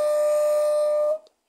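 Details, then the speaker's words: Washing tub (tanquinho) motor with melted wire being repaired, briefly powered without its capacitor: loud steady strong hum that cuts off abruptly; motor energized but not rotating because the capacitor is missing. "Deu contato, né? Ele roncou. Só que não rodou porque tá sem o capacitor aqui, ó. Tá? Vocês viram como ele roncou? Roncou e roncou forte."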